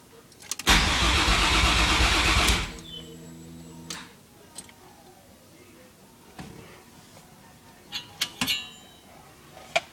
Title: No Start